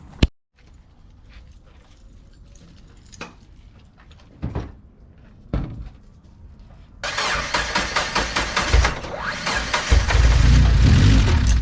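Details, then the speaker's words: Mazda Miata cold start after replacing a cracked coil pack that caused a misfire on cylinders 1 and 4; there is no idle air control valve: clicks, a short crank, then a steady, slightly lumpy cold idle that should smooth as it warms. "all right so we're all good now it's just gonna run like that because um i don't have a idle air control valve so until it warms up it'll start running a little bit smooth"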